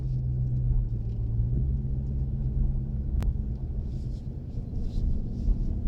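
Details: Chrysler 300 SRT Core driving tight circles in a car park at about 15 km/h: a steady low rotating howl with slight pitch shifts; owner asks whether it is the rear differential or something else.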